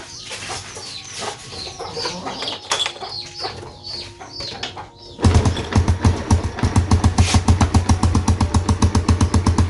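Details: Yamaha Jupiter Z kick-started during battery charging test: a few kicks, then the engine catches and settles into an even, steady putter with no knocks or misses; runs healthy.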